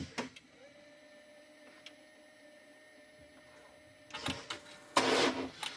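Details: 2020 BMW X5, towed in, won't start and seemed locked up, fresh battery with good voltage. On a crank attempt there is a faint steady electric whine with no cranking, then clunks. The starter is stuck engaged with very high current draw.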